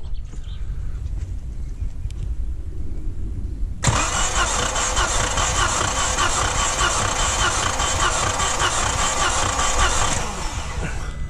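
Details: Three-cylinder EB engine being rebuilt with new piston rings for excessive oil consumption, compression test: quiet, then steady even cranking churn about two and a half beats a second, no uneven cylinder; test later flags a weak cylinder.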